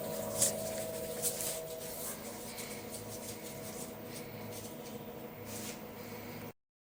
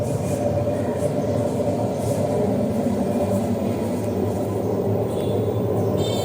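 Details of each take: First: 10 kg LG direct-drive washing machine after replacing both drum bearings, running quietly with a soft, steady hum and no grinding or rumble from the drum. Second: LG 10 kg direct-drive front-load washer: a loud, steady, gritty rumble from the spinning drum that the customer says carries far; the noise persists with the motor removed, pointing to worn drum bearings.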